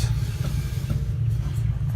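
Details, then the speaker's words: 1966 Chevy C60 semi truck, sat for decades, now running with 30 lb of air built up: steady even rumble, good oil pressure, no knocking or noise, sounds healthy. "so it will run oil pressure is good everything's good and it's not it's not knocking it's not making any noise everything's running on it looks good sounds good"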